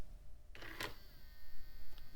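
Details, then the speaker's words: Optical drive in an old beige PC, opened, powered to close tray: faint motor whir, sharp clunk, short grinding burst, later click; tray struggles to engage, lacking torque, belt seen wobbling and suspected bad. "All right. And yeah, sounds like it's struggling to engage. That is a new symptom. Yeah, it's like it doesn't even have enough torque to lift the mechanism."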